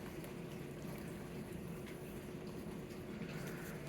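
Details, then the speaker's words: Bosch 300 Series dishwasher running on normal cycle, extended dry off, before cabinet mounting: very quiet, faint steady water swishing inside over a low water-pump rumble, no knocks or grinding; normal wash. "okay this is what it sounds like running outside of the cabinet it gets really quiet you can kind of hear the water inside and that's about it a little bit of rumble from the thing that's the water pump"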